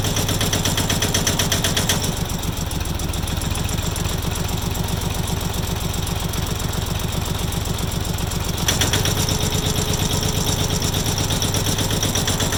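Sharp, even knock about three times a second riding over the diesel idle, steady and hard-edged; a knock inside the engine, source unknown.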